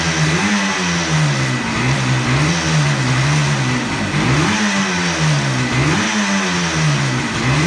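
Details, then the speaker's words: 1976 Yamaha RD400 two-stroke, restarted after 5 years in storage with the choke on. Crisp two-stroke crackle rising and falling with throttle blips and picking up cleanly each time; it runs normally again. "oh listen to that per who doesn't love the smell of two stroke in the workm shop"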